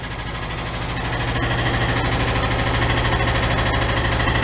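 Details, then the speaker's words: 1968 VW Double Cab cold start after years stored in a tent: sharp, even ticking, about three per second, over a steady idle. The hydraulic lifters are not pumping up; the owner previously replaced one lifter and says the tick sometimes goes away once run. "it's a common problem with these I had that same problem with it I put in another lifter in it but sometimes when you run them you're coming go away"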